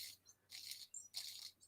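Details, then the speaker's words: Losi Lasernut front differential, freshly reassembled and spun by hand before filling with 50K diff oil: a light, even, high-pitched gear whir with no catching or grinding. The mesh is normal. "And that's what it should sound like. That's mint."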